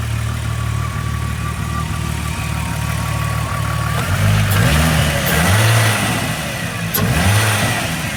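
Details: VR6 in a swapped 1984 Volkswagen Rabbit GTI idles smoothly, then rises and falls cleanly with a few throttle stabs, no misfire or ticking, after a fuel system rework; no leaks, runs healthy.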